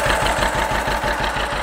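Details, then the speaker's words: John Deere 530 tractor, first start after overhaul: crisp, evenly spaced putts about eight a second with a steady beat and no knocks or misfires, a healthy settled idle; no leaks so far, transmission oil low. "Alright guys, got her out and running here. I'm actually kind of excited, even though it is a John Deere. Sitting there just putting away."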